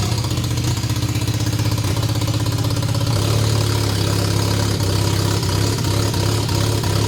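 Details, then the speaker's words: Mazda RX-7 barn-find 12A rotary, sat for years, carb zip-tied with choke partly open: runs rough and surging only while starting fluid is sprayed in despite fuel in the carburetor. Suspected carburetor fuel delivery problem. "because there's fuel in the Carby but it's uh it's not like um it only runs when I'm spraying the starting bastard in there"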